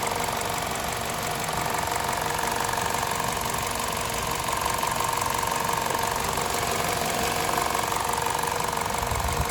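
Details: VTi 120 petrol engine, 137,700 km, warm idle: fast light tick roughly three per second at the left side of the rocker cover; valvetrain ticking, cause unknown.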